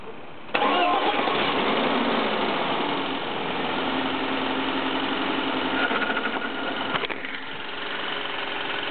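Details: BMW E36 318is with M44B19 engine on cold start: catches, then busy metallic clatter while idle hunts between 1000 and 1500 rpm; cause unknown.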